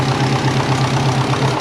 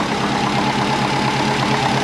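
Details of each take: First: Twin-turbo compound Subaru Forester with TD05-20G, first run after refit: loud rough idle with rapid even puffing in the exhaust note; exhaust leak, owner suspects the three-bolt flange, possibly warped, not confirmed. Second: Twin-turbo compound Subaru Forester after sealing an exhaust leak at the three-bolt flange: steady, even idle with smooth regular exhaust pulse, no ticking or puffing; exhaust now sealed and healthy.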